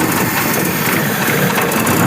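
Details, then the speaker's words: Carburettor sent in by a subscriber, previously workshop-repaired, on test: a thin, hissy, faltering idle that struggles as if about to die; the idle mixture is too lean with too much air, the idle jet likely too small or clogged. "Nah, ini teman-teman ya kita tunjukkan yang namanya campuran stasionet terlalu miskin. Ini kebanyakan udara."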